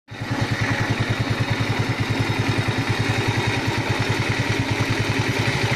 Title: Помогите проблема стук в двигателе Альфа